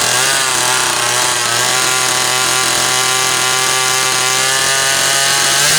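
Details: Zama C2002 carburetor from a McCulloch Pro Mac 800, tested on a 54cc engine with different linkage and no idle screw, so it won't idle; needles turned in about half a turn; high buzzy two-stroke scream, steady pitch, no surging; running fine.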